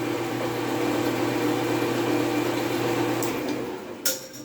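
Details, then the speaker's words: Accura lathe motor running forward and reverse after rebuilding the obsolete C-16G contactor/relay switch and checking wiring against the diagram: smooth, even hum with no knocks or rattles; repaired and running normally. "Sweet. It's up and running."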